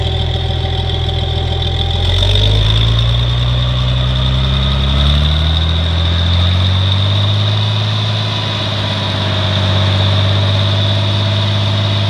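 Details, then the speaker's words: 1963 Farmall 706 gas tractor, just bought, runs after a loose gear was found inside the timing cover: after a brief rise in speed it settles into a steady even low idle with no hunting or surging. Normal idle. "but Hank it runs good fire it up for you yeah"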